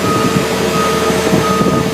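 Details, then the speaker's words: 50-ton rig setup with engine running: a steady, repeating high beep from an installed latch sensor buzzer, warning that the latch is not in position to run the rig; it stops once the latch is in safe working mode. "the buzzer using here is of a sensor that we installed to identify that the the latch is not in a a current position to run the rig"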